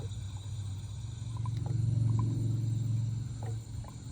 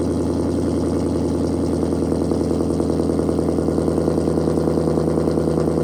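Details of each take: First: Dodge Challenger during radiator flush and refill, engine just shut off while warm; low bubbling gurgle about three to four times a second as trapped air is pushed out of the coolant system. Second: Challenger Shaker V8 at 45,280 miles, idling after a cold start before a radiator flush: deep, steady burble with an even pulse, no knocks, ticks or misses. Healthy engine.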